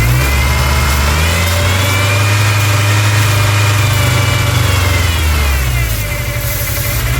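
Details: 1999 Ford Ranger 2.5 four-cylinder idling with a deep, slightly uneven drone and a faint high whistle from a massive intake vacuum leak.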